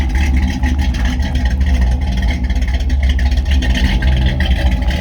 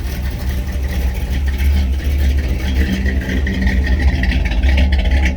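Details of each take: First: 1957 Bel Air 283 small-block V8 at idle: deep, even burble, steady low rumble, no knocks or misses. A manifold exhaust leak near the distributor was noted. Normal idle. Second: 1957 Chevrolet Bel Air 283 V8 at idle: lumpy rumble with a faint ticking puff over it, an exhaust leak on the manifold near where the old-style distributor and intake hook up.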